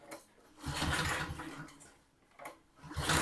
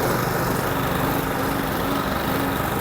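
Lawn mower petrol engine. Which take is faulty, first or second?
first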